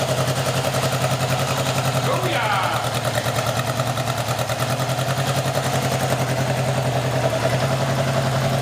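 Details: Honda CB750 first start after rebuild with 836 big-bore kit, new gaskets and seals, undercut transmission gears and Pamco ignition, on choke: four-cylinder catches and holds a fast, even idle, no knocks or misfires.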